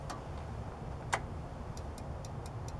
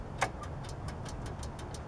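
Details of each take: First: Lawn mower troubleshooting: sharp clicks from a safety switch, then a loud starter relay snap and light ticking over a hum, showing the switch is good. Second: Riding lawn mower starter troubleshooting: the brake-set switch clicks lightly about five times a second but no relay clack follows, unlike a good switch where the relay is heard; the starter relay isn't engaging. Cause unconfirmed.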